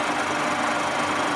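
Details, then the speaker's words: Shop-made boring tooling taking a light cut, surfacing cleanly: steady, even cutting hiss with no chatter, squeal or clunking — normal cutting. "as you can see it's just fling up the surface it's doing a very nice job as well"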